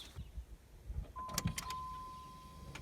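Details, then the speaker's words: 1993 Chevy Lumina APV windshield wiper motor on strut tower after resoldering circuit board and fixing broken part, wipers weak after washes; mist/delay setting: brief motor whir and soft clunks as wipers sweep, chime behind; normal operation. "Here's mist. That sounded promising. It's on delay mist, so that means in a couple seconds it should spin again."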